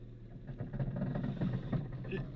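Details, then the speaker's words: Engine idling in neutral; when the clutch pedal is released an uneven rattling rumble is added, seemingly from one side of the car, cause unknown; noise appears on clutch release. "вот такой звук появляется где-то вот с той стороны что ли"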